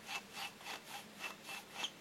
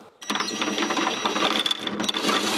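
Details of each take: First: Husqvarna YTH150 lawn tractor mower deck spindle bearings, cleaned and regreased after resisting rotation and making blades drag in grass; dry rhythmic rubbing swish about four times a second, noise expected to lessen as grease spreads. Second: Husqvarna YTH150 mower deck spindle bearings, regreased and spun without blades: steady high-pitched spin with a light, even rattle and no grinding. The bearings turn more freely than before, when they had rotation resistance.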